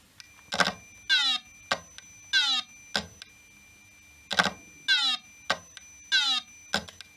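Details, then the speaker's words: 1989 Acorn A3000 computer at power-up: hard drive repeatedly whirs up with clicks then spins down and stops; a power supply fault was suspected, but the cause is a corroded connector starving the drive, not bad drive mechanics. "when I powered up the hard drive spins and then it stops sometimes it it spins up and down and then it stops and I'm not sure whether it's a power supply issue which I can check"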